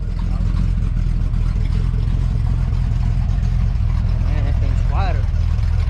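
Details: 1966 Chevy C10 on the move with a newly built first-time exhaust system and new mufflers; a deep, even V8 rumble with no rasp or leak ticking, much quieter than before. Healthy exhaust.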